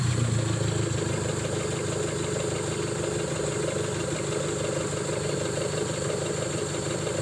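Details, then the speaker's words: Colt T120SS with a stuck-high idle caused by a worn throttle valve, after the throttle body was refitted: steady, even idle with a soft low pulse and no hunting; rpm now stable, normal idle. "ini sobat ya Jadi sekarang rpm nya sudah stabil"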